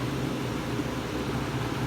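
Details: Whirlpool window air conditioner in a garage, restarted briefly during shutdown: steady even hum, low motor drone and smooth fan rush, no rattles or knocks; running normally.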